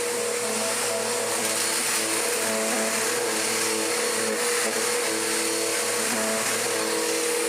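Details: Restored mid-1990s Dirt Devil DD6114 upright vacuum, an Electrolux Contour clone, running on low: a steady, even motor hum with a constant fan whine and no surging, grinding or rattles; it works normally but is mediocre, and its belt tends to flip over.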